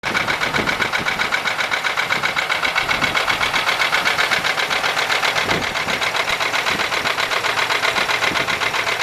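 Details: 1995 Buick LeSabre 3.8 V6 at idle with a steady, quick ticking knock about four per second, also heard at the tailpipe, seemingly from the left side; owner suspects valvetrain, not confirmed.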